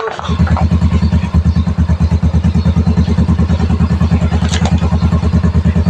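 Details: Yamaha Mio i125 scooter, running after a no-start, before road test; steady single-cylinder thump around three firings a second, no misses or knocks. Normal running.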